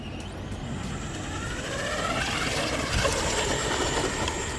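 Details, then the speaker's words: RC stadium truck driven half way up a hill under load, already suspected faulty: thin high whine rising over a rough rushing drive noise; something slipping or breaking in the drivetrain, possibly electrical/ESC issue suspected, cause unclear. "oh that is awful that is awful something is slipping or breaking"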